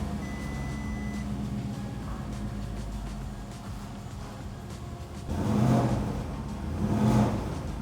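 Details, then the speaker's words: Porsche Cayenne just after battery replacement with key on during swap, systems relearning, took a couple of tries then started right up; steady even note with light throttle swells, no stumble or misfire; normal running. "it's running really good. It started right up. It took it a couple of tries just because I think we're resetting and relearning, but I think we should be good."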